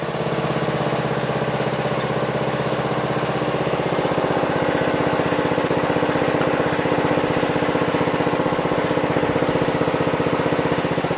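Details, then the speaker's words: Toro Wheel Horse 825 Recycler riding mower, Briggs 8 hp single-cylinder, after new battery and replacement carburetor, throttle set to lowest: even steady putter about three beats a second, no stumbling or surging; healthy low idle. "Sounds great! I'm going to put it all the way to the lowest idle."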